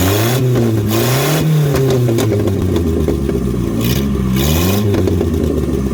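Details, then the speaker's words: Datsun 521 with Toyota 2TC engine and new Weber carburetor, warmed up, no exhaust fitted: loud open-pipe blips rise and fall cleanly back to steady idle, no knock or misfire; healthy. "uh I'm gonna give it a little couple revs you know just baby stuff just so you guys can hear the engine if you guys you guys are curious although it doesn't have an exhaust so this won't be what it sounds like when it's finally done"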